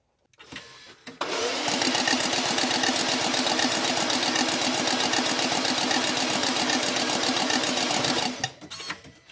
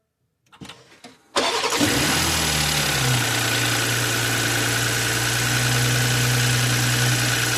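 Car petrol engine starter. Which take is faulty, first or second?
first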